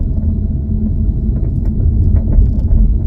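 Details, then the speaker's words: 2016 Mustang GT (S550) with BMR rear suspension, coasting at 40 km/h in neutral: light, scattered hail-like tapping over road rumble. A wrong upper cam link bushing is suspected, not confirmed. "you hear all the tapping like it sounds like hail is hitting my roof that's you know what that's the best way to describe it hail hitting my roof right now that's what I'm hearing"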